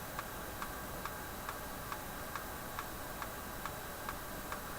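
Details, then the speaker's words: General Electric KL-70 AM/SW tube radio with the push-button assembly unplugged: dry, even clicks about twice a second over a quiet hiss from the speaker. Clicking from the speaker; it is assumed harmless. "there's a ticking sound coming out of the radio no it's coming out of the speaker oh that's because i've got that uh piece unplugged"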